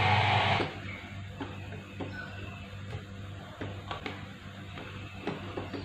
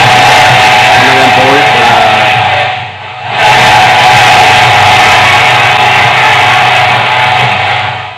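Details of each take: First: LA4440-based 12 V amplifier, customer complaint of one channel breaking up: music on a speaker with scattered sharp crackles and pops on one channel, worse when volume is turned up, fine when turned down; fault traced to the IC, before repair. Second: LA4440-based 12 V amplifier after the IC fault was dealt with: the previously crackling channel now plays full and clear at high volume with no crackling or cutting out, and overheating is reduced.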